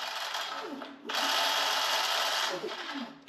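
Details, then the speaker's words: H-1 Pro Series Ace R450 electric scooter, rear disc brake while riding: steady scraping hiss that changes and swells when the brake is squeezed; rotor visibly flexes, caliper suspected out of adjustment. "But also if you listen to it as I hit the brake, the sound changes a little. So I think the caliper is out of adjustment."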